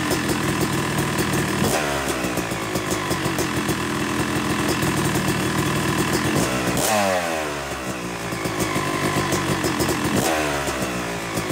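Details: Yamaha YZ250 two-stroke motocross bike (270cc/250cc) after full engine rebuild (bottom end, transmission, bearings, clutch, power valve), second start-up after cooling, warming to about 100–125 degrees: crisp ring-ding idle with gentle blips settling cleanly; normal warm-up idle.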